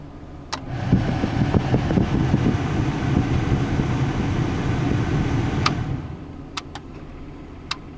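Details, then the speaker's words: 2001 Chevy S10 V6, heater blower on speed 4 after replacing a fuse (10 A fuse found in the 30 A slot); speeds 1–3 still dead: strong steady fan rush at even pitch without rattles, then cutoff; high speed works. "fan speed 4 was fixed by replacing this fuse there was a 10 amp fuse and a 30 amp fuse hole"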